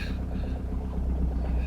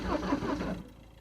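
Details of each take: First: Citroen C5 jump-started from a dead battery on a very cold winter day, running on summer fuel. A low, even diesel rumble with a steady fast beat and no misses or knocks: a clean idle after the cold start, with no smoke. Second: Citroën C5 diesel being jump-started at −11 °C after sitting for months, glow plug condition uncertain, in neutral with the handbrake on: brief, labored cranking that dies away without catching; slow crank, no start, cause unconfirmed.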